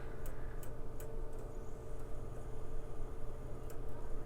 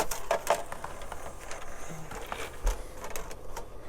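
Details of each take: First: PlayStation 2 with a silver disc and a blank screen: the disc drive makes sharp clicks about every half second with pauses, cause unclear. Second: PlayStation 2 console being bench tested while loading a disc. Busy clicking and ticking with a light whirr as the drive seeks and reads; loud, but normal for this disc drive.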